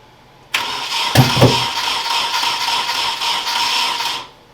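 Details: Nissan 240SX S13 KA24DE swap, cranking during distributor timing adjustments without a timing light: about three and a half seconds of even, rapid cranking with a couple of heavy early thumps, never catches; timing suspected, later briefly runs.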